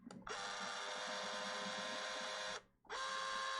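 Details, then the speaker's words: Power zoom motor of a late Super 8 sound camera: thin, steady high-pitched whir that stops briefly and restarts cleanly, with slight hiss and a squeaky knob; strong power zoom, healthy motor. "oh it's a healthy sound listen to that motor here we go doesn't sound too bad really a bit of hissy but the knob's a bit squeaky it's got it's got the most it's got the strongest auto power zoom and uh wide angle i've ever used"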